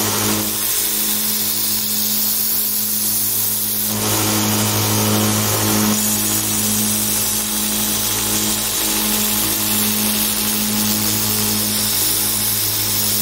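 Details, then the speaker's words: DIY 2x72 belt grinder, 2 HP motor with VFD, running with no platen: steady whir with a regular tick about three times a second from a badly glued, overlapping Chinese belt joint; sanding barely affected. "it makes this St t t t noise that's actually from the Chinese belt because these are glued together very very badly they're overlapping and you can hear it it makes that noise"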